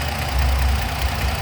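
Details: 2011 Dodge Nitro idling with multiple-cylinder misfire code after oxygen sensor replacement: deep uneven, lumpy idle; misfire persisted after replacing plug wires and spark plugs.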